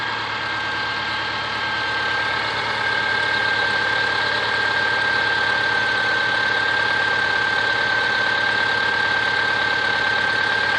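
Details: Subaru Forester SG5 EJ25 at idle: regular tapping knock about three per second plus a thin high whistle throughout; engine knock, cause unknown.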